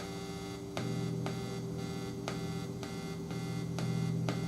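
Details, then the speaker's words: Washburn Status Series 1000 bass plugged into a 10-watt amp: a steady low mains buzz with sharp clicks about twice a second. This is a grounding issue in the electronics; battery replacement recommended. "on it goes and immediately i hear noise i don't know if that's getting picked up"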